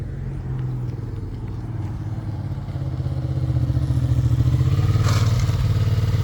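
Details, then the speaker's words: Long-abandoned Suzuki SV650 V-twin after the cam chain tensioner was adjusted for possible slack: steady loping idle, about four pulses a second and firming slightly, with no bottom-end knock; idling normally. A small vacuum leak was also found. "So, Seth adjusted the cam chain tensioner. Could have had some slack in it. It's idling great."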